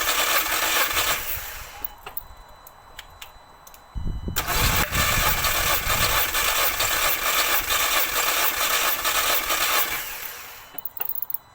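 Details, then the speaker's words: MK2 Audi TT with cylinder 1 misfire (P0301), compression test cranking with fuel pump relay removed: steady, even cranking pulses, no cylinder weak or lumpy; equal compression, all four cylinders reading about 100 against roughly 150 thought to be expected. "So that's telling me we've got equal pressure on all 4 cylinders."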